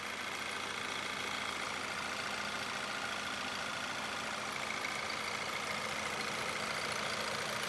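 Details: Viewer's engine at idle, rpm steady and no misfires: fast, sharp metallic clatter and ringing from the top end, about two ticks a second; cause not pinned down, first suspicion is no oil in the engine.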